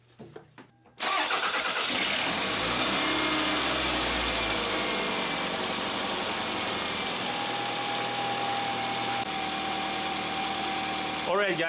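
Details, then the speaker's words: Toyota Highlander after valve cover gasket replacement (oil had entered spark plug tubes), oil level checked: starter cranks briefly, engine catches at once, flares then settles to a steady, even idle; starts normally, no leaks. "as you guys can hear the engine is running so we're gonna look around the valve cover to see if we have any leaks"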